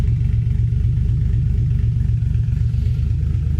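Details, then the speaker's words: Freshly 1JZ VVTi-swapped Nissan 240SX S13 coupe, first startup on a new TIG-welded exhaust replacing the open downpipe: deep lumpy idle with an irregular throb of about four pulses a second and loud exhaust rumble; uneven because still untuned. "This will be the first startup, but it's on like a really crazy tune right now. It's not like, it hasn't been tuned yet. So don't judge the way that this idles."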